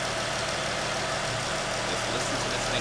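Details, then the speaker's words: 2014 Jeep Grand Cherokee WK2 3.6L V6 after radiator replacement, bleeding coolant with heat and fan on max: steady, even idle under loud heater blower, no knocks or misses; normal idle. "I'm getting to operating temp it's starting to really exhaust my upper hose is starting to get warm thermostat's opening up fans kicking on everything's working as it should be"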